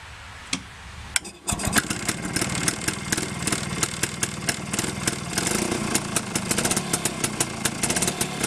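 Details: Reassembled Villiers 9E 197cc single-cylinder two-stroke with four-speed gearbox and reversible electric starter-generator, temporary fuel tank, starting in forward rotation: catches after a brief crank and settles into a steady, even crackling idle with no misses; healthy.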